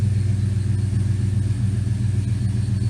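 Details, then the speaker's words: 1979 Firebird Esprit, 5.3 V8 swap with Powerglide, shorty headers, straight 2.25in duals, cold idle at about 30°C with O2 sensor not installed and open loop disabled; deep steady, slightly loping rumble, no knocks or misses, idle spot on. "idle seems pretty spot on as it heats up"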